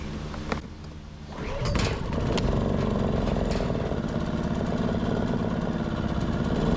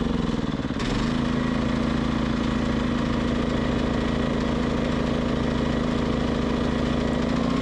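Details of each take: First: Westinghouse iGen 2500 inverter generator, which previously would not start and then surged at idle, now fixed after its common problem was cleaned out. Started on choke with a pull, it settles into an even, steady drone with no misses or hunting. Running normally. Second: Westinghouse iGen 2500 generator: steady mid-pitched drone wavers and dips as speed hunts; idle surging.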